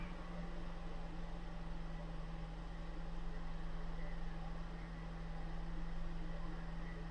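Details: 2014 Ford Escape idling right after a battery replacement, first start after sitting unused for a while, air cleaner still out: steady low hum, even smooth drone, no knocks or misses; normal clean idle.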